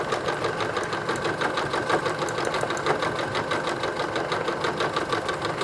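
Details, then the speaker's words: Singer 9970 computerized sewing machine (probably mid-2000s), size 12 universal needle, sewing thick duck cloth: even, quick needle ticking about three stitches a second, never struggling; runs smoothly. "look at that see never even struggle that's a size-12 universal needle not even struggled not even struggle watch"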